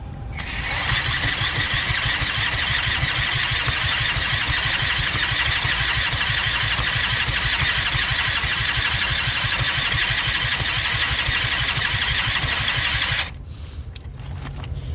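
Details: Eaton Beamer Matrix 2 scooter under rebuild, compression only 60 psi, choke off, throttle wide open, kick-start: fast, uneven, raspy pops that never settle into a clean run; hard starting from low compression.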